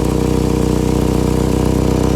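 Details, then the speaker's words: 2012 Chevy Equinox idling loud with a fast, even puffing chuff over the low rumble; exhaust leaking from a cracked resonator just behind the driver-side passenger door, before a temporary patch. "Just behind the driver passenger door, you'll see the resonator right here. You see there's some exhaust. And you can see the crack, I believe."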